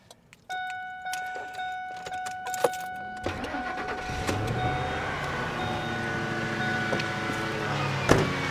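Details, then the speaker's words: Pickup with deliberately fully dead battery, jump started with Novsight jump starter: silence, short electronic hum, engine catches about three seconds in and settles into steady even idle; normal start. "And it started."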